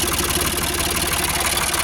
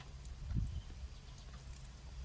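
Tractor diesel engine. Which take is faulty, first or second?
second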